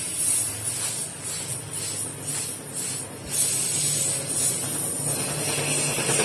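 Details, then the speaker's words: Polytron single-door refrigerator, freezer evaporator not cooling: steady strong hiss of gas when the charging pipe is snapped open, so refrigerant is present but not flowing; likely blocked line. "kalau saya patah ini ada suara gas kencang berartionnya banyak ya kalau enggak ada Berarti habis PRnya Nah ada nih oh ada berarti kemungkinan buntu"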